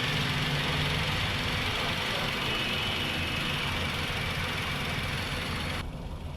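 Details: Petrol Maruti Suzuki Wagon R K-series, about 153,872 on odometer, running on petrol at idle: uneven lumpy beat with regular stumble several times a second; injector power confirmed, one cylinder weak, stalls at idle; misfire at idle.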